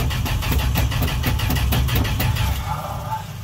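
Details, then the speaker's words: Old truck sat at least two weeks, warm June evening start on booster: starter cranks steadily, about three and a half beats a second, with no firing; pedal pumped but likely no gas in the carb bowl, suspected. "still no gas in the bowl so it's just it's doing a lot listen to that starter oh yeah"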